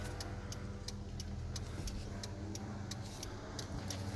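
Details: 1991 Toyota 4Runner 3.0 L, engine running, after replacing the electric turn signal flasher relay: steady, even clicks about twice a second, no buzzing or missed beats; the old relay had buzzed on the right turn signal.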